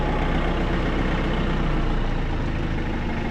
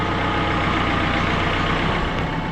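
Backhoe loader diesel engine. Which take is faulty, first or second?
second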